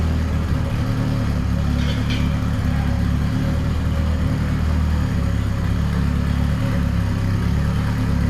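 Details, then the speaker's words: 500HP turbo Nissan D21 Hardbody after steering box replacement, first start with fuel pump heard priming: deep even engine note, no knocks or rattles; sounds healthy. "Oh, okay. I hear a fuel pump. That sounds pretty beast."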